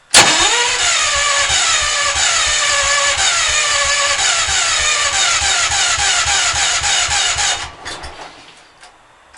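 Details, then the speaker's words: Engine cold, timing and valves reportedly set right: steady starter churn about three and a half beats a second for nearly eight seconds, never catching, then winds down; always hard to start cold, fine warm. "this thing is hard to start it always is when it's cold does that lot I don't know why I got the timing set right the valves are right"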